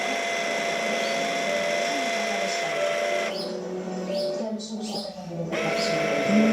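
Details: Linear actuator, one of a pair, whose motor drive whines and grinds loudly as it travels compared with the other, stopping briefly and then running again; owner asks whether it is the water-resistant model.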